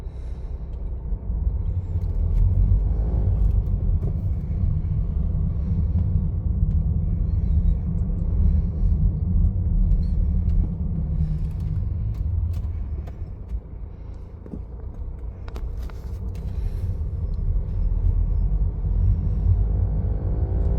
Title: Bmw 320d n47 Strange noise from 1500-2000 rpm